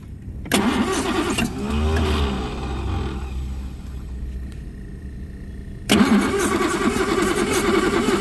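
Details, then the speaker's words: 1960 Jaguar S-Type 3.8L, first start after about eight years sitting, out of ether: catches, sputters and sags for seconds, then refires unevenly; rough running, carburetor bowls suspected to need cleaning. "hold on what we're gonna have to do something about the carburetor he's gonna have to get the bowls clean them or something like that"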